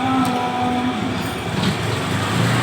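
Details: Honda PCX scooter revs up but sounds flat and labored, bogging at wide throttle while gentle throttle is fine; fuel pressure and spark checked good.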